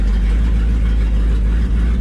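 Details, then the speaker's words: Old McCulloch 1-46 chainsaw revived (was missing its carburetor), connections tightened and loose starter cord fixed: smooth, even low rumble with no misses, knocks or hunting, a rare good morning idle. Normal idle. "at this thing see it's running better I took all the connections like that the starter cord was loose on the starter wasn't getting full crack listen to it she's that's rare for this thing to idle rate the morning this is good"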